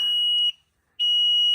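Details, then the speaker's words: Newly installed Platinum Gladiator Performance HVAC system in a basement: a loud, shrill beep, about half a second on and off, repeating. No flash codes were found; clearing the alarm then shows "service needed", and the cause is unclear. "dgum beeping's got to stop. I'm going to have to look it up, I guess."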